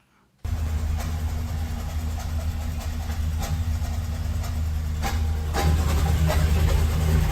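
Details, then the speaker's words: Ford F-150 5.4L 3-valve V8 after timing job, cold start: rough, shaking idle with uneven thumps, intake popping, rattling and knocking noise; one whole bank of cylinders misfiring, mechanic says timing not at fault. "sounds pretty crazy right I mean the whole engine's shaking one whole Bank of cylinders misfiring we got popping through the intake we got this rattling and engine knocking type noise"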